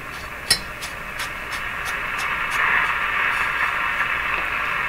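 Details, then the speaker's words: RCA Victor A23 tube radio on the 9/11/15 MHz shortwave band after antenna coil repair: steady hiss and crackle, no stations; receiver still needs alignment. "Sounds good. Not hearing anything. It's unaligned, remember?"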